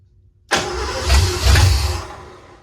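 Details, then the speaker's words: 1986 Ford F-150 V8 that sat for years, with a new starter solenoid: it cranks briefly, fires with a couple of surges, then sags and dies within two seconds; no fault codes, timing still off. "okay well it's obviously want to run let's check fault codes"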